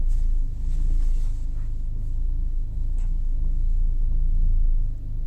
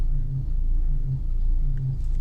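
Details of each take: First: Nissan Almera engine at idle in drive on a warm 33° day, steady low rumble with no whine or squeal after topping up low power steering fluid that had caused a cold-start pulley whine, worse when steering. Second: Nissan Almera on a 33° day, in drive: low engine rumble with faint buzzing whine from pulley area, worse cold and when turning steering, gone when warm; power steering fluid below minimum, possibly seeping; topping up fixed it.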